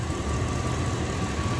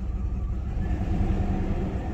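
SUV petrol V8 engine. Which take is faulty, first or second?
second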